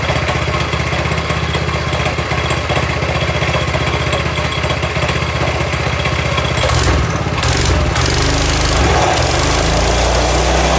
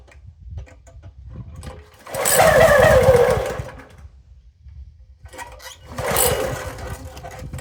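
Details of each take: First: Toro SG-6 stump grinder with Honda GX200 after turning the idle stop screw 1/4 turn right: steady, even single-cylinder putter holding a stable low idle; normal idle. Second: Toro SG-6 stump grinder with Honda GX200 engine and a new carburettor, started on full choke: two short bursts of running, each dying within seconds, acting fuel-starved; the problem was ultimately traced to oil level.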